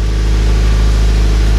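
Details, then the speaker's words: Cold-start warm-up of a Subaru BRZ boxer engine after installing an aftermarket overpipe, front pipe and catback and fixing a detached-gasket exhaust leak: steady, slightly raised fast idle, even low burble, no ticking or puffing; normal cold-start fast idle. "the engine's revving a little higher than normal to do the warm up and you guys will hear it kind of calm down and then maybe I'll flip it a couple times"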